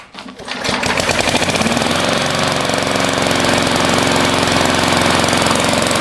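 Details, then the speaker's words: Lawnmower with a new 22-inch blade and no idle adjustment screw at the throttle: it putters at a slow, loping beat that never picks up. Idle is low. "it idle's kind of low and there's no screw to adjust it screw around the throttle"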